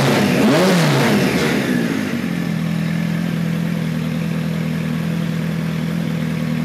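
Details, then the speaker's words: 1973 Kawasaki Z1 900 four: after a blip the revs come down slowly and hang before settling into idle; owner suspects lean running, air screws at about 1-5/8 turns. "see it's hanging a little bit but when you gas it you can get a little bit out of there"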